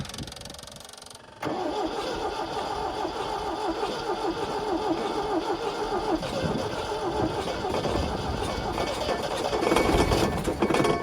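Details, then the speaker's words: 1974 MGB roadster parked 30 years, hot-wired, new points, rotor and plugs, carbs tinkered: cranks steadily with ragged attempts to catch, only tries to fire on starting fluid sprayed down the carb throat; owner suspects the noisy fuel pump isn't delivering fuel. "I don't know if that if it's actually getting any gas in it or not cuz it's acting like it wants to start but it's only when I spray a little juice in it"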